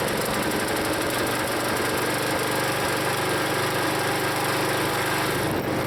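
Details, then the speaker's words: Used log splitter's small single-cylinder engine, long known as rough, before Seafoam: uneven, lumpy running, note sagging under hydraulic load as the piston is pulled back past a point; rough running and bogging, cause unknown to owner. "that always was a rough engine so I want to drop some seafoam in there and see if it does any better now I don't get why I think you hear the engine bog when I pull that piston back to that point"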